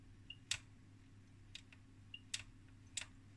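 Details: 1969 HP 400E AC voltmeter after its crusty relay connectors were cut and resoldered, changing ranges: crisp single relay clicks about every second against a quiet hum. The relays now switch cleanly.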